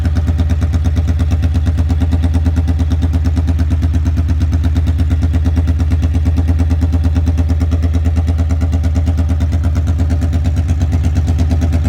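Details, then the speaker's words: 1982 Honda Magna V45 VF750C warmed up after an oil change, choke held open with a zip tie: deep, loud, blatting idle of roughly three firing pulses a second, undamped because the exhaust has no muffler. "She's loud as a banshee. So I think I better put a muffler on there before I take her out."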